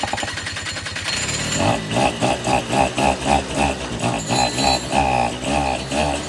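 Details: 2006 Suzuki Quadsport LT80 two-stroke, stored for years after stalling, previously seized, after carburetor cleaning (clogged needle valve suspected): catches after a second of cranking and settles into an even pulsing idle, about three beats a second; running fine.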